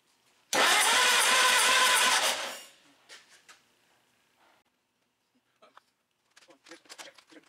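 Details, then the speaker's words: D12 tractor after sitting, engine previously gone through, distributor firing order was wrong: strong even cranking with good compression that never catches, a no-start. "he cranks over incredibly good and it sounds like it's got really really good compression"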